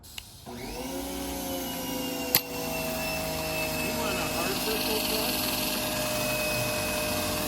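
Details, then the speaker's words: Failed original Pontiac Fiero starter motor bench-tested after removal. It spins to a whirring whine with a rough buzzy edge and shudders internally (not the Bendix); it was smoking, smelled burnt and earlier wouldn't turn. It was being replaced with a 3800 starter. "you see it smoking before it wasn't even turning yeah this thing is toast"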